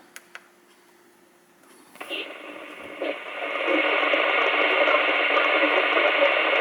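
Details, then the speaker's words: Albrecht AE6491 CB radio with NRC noise reduction, FM with ASQ squelch, scanning, external speaker: over steady hiss a warbling garbled robotic voice-like chatter about four times a second on an empty channel, problem seen with NRC on; cause unconfirmed. "you hear, this is a problem I found. It's got a robotic voice, but there's nobody there. It's an empty channel."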